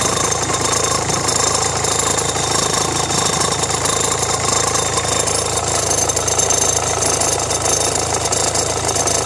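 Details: Renault Megane 1.5 dCi diesel at idle with radio, rear demister and blower on: a dry, uneven rattle from the accessory belt drive. Belt and tensioner already replaced; the noise goes away with the AC on. Owner suspects the alternator or AC compressor.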